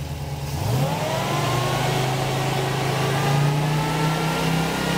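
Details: Engine with Holley Sniper EFI and Dual Sync distributor, ECU timing control, static timing 15 degrees, fuel pump relay reinstalled: catches quickly, flares briefly, then settles into even idle without misses or stumbles; starts properly.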